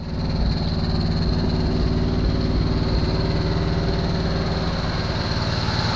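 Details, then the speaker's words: 1974 Chevy Nova V8, long-sitting, first start with fuel poured into carburetor, smoking heavily; fast steady idle racing well above normal, even firing, no misses; held high because choke still on. "gobbled up way too high someone cranked that idol up why'd they crank it up like that i see it's the uh the choke is still on"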